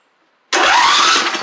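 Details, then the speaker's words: John Deere L110 mower after fixing belt pulleys and fan; silence, then a brief clean crank that catches straight away with no grinding or clatter, much better than before. Normal starter cranking and start. "see how much nicer that is though than what it was to start"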